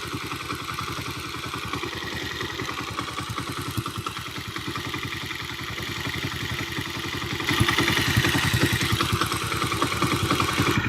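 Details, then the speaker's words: Road Prince 125cc motorcycle after repair of a head noise: starts on a quick kick and idles with a steady, even thump, no tapping or clatter from the head, much quieter than before. "ये देखें, एक तो बिल्कुल fast kick के ऊपर स्टार्ट हुआ है ये बाइक, और दूसरा आप इसके इंजन की आवाज़ ज़रा चेक कर लें पहले के मुकाबले में कितनी कम हो गई है।"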